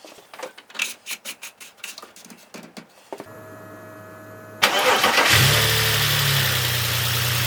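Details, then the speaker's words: BMW X5 with freshly rebuilt M54B30 inline-six, after a few heat cycles: starter cranks at about four beats a second, then it catches and settles into a steady, even idle with no ticking or knocking. Owner says it sounds pretty much perfect, no extra noises. "But yeah, if you ask me, this sounds pretty much perfect, no extra noises or anything."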